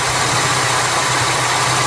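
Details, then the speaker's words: 2004 Jeep Liberty after replacing AC compressor pulley bearing that caused RPM-dependent grinding drone at idle, AC on: even idle, compressor clutch engages smoothly, steady hum with no grinding or chatter. "so you need it to engage you don't want it to uh go too crazy there perfect nice and smooth awesome"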